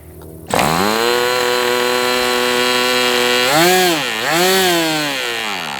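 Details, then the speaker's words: MDS 68 FS Pro four-stroke glow model engine, end of first break-in run, tach monitored. Steady high revs sag and surge twice, then shuts down. Owner unsure if rich or lean, believes not lean given heavy smoke plume; carb setting suspected. "It's interesting that it's just shutting down like that. I don't believe it's too lean at all. There's a nice plume of smoke coming out."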